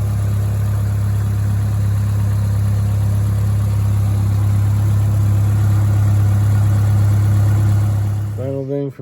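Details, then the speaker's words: 1996-01 Hyundai 1.8/2.0 idling after throttle-body mod and manifold/gasket work, no leaks found, temporary hose clamps: steady, even low hum with no misses, ticks or knocks, speed constant; idling smoothly. "looks like we tightened everything up good we have to we'll put regular clamps on this but everything looks good running"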